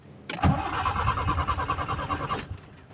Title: Nissan Sentra GA13 Hard Starting, Idling RPM not stable